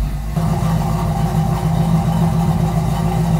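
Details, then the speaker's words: 1969 Plymouth Barracuda 440 V8 being readied for drag racing, running with a steady, even low rumble and no knocks or ticks; sounds healthy, car feels fast. "sounds pretty good it actually go is really good too it's pretty fast car anyway"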